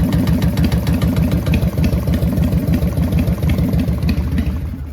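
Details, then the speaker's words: 1999 Harley-Davidson Fat Boy V-twin with a newly installed Wood Performance cam, warm idle: loping idle with a light, regular peck about three per second. Ticking that owner suspects is a pushrod tube, unconfirmed. "Because the motor is making no extra noises than it was when it was stock. That's the only I think it's that push rod tube."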